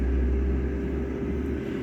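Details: Jaipan digital air fryer cooking at 200 degrees, fan running continually with a low, even single-tone hum and no ticking or scraping; the relay cycles the heater on and off, normal.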